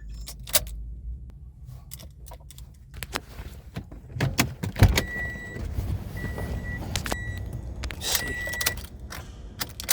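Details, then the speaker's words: Toyota Corolla 2ZR-FE with new starter, new battery and new starter relay, fuses checked: keys jangle and the key is turned but there is no starter whir or cranking, only silence; it starts intermittently, and jumping sometimes helps. "I don't know what the hell's going on with this car right now turning the key nothing's happening"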